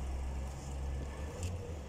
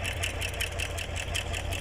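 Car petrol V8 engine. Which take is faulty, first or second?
second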